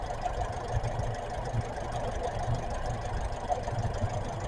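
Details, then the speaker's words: Brand-new Kia K4 engine at idle after a Seafoam treatment in the crankcase and fuel, as an injector sound test: quiet, even low hum with no knocks or ticks standing out; smooth, healthy idle. "This is what the motor sounds like after the seafoam treatment."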